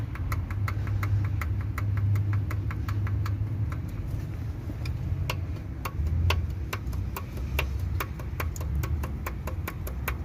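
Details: Hyundai/Kia i20 G4FA/G4FC engine at idle: sharp metallic ticking about three to four per second over smooth idle; dropped valve guide, metal found in combustion chamber.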